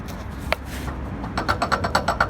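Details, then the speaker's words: Mazda 3 MPS front suspension knock, recorded from underneath on a pit: fast regular sharp clicks about eight a second; owner suspects the drive shafts (CV joints), unconfirmed. "короче походу привода стучат может и так что таешь вроде всё нормально"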